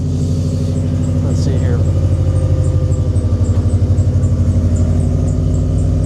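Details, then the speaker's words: Cheap used winter car idling on a cold start; steady low idle with a short rising chirp-squeak early on; the squeak goes away after warm-up, source not identified. "I'll let this thing warm up a bit, but she does have a little bit of squeaking. It does go away after some time, especially after cold start."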